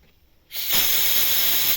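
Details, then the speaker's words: Chevrolet Aveo 1.5 8-valve Opel engine, removed cylinder head pressure-tested with fluid: a sharp steady hiss of escaping air, exhaust valve not sealing because it's burnt; intake valves hold. "Так, впуск у нас в принципі чудово. Супер, супер, супер супер. Впускні тримають, випуск не тримає."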